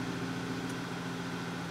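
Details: 2010 VW Tiguan 2.0T with P1545 throttle valve controller malfunction (EPC light, stalling, no throttle response), idling with known-good throttle and pedal position values. Steady, quiet, even hum with no stumble.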